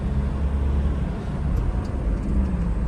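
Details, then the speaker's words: Toyota Innova diesel test drive after full work for an engine-missing complaint: clutch set, suspension, engine bed, timing kit, nozzles, steering column boot and major service. Even low drone under road noise with no knock, miss or clatter; runs smooth, far better than before. Only a slight seat-holder sound, considered normal. "വണ്ടിക്ക് നല്ല sound വ്യത്യാസമുണ്ട്, നല്ല സ്മൂത്തും ഉണ്ട് വണ്ടി ഇപ്പോൾ ഓടിക്കാനായിട്ട്."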